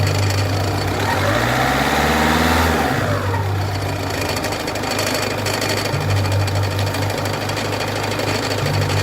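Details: Peugeot 206 1.4 HDi diesel idling after a brief rev: loud rough rhythmic clatter, about three or four beats a second, caused by a damaged crankshaft pulley.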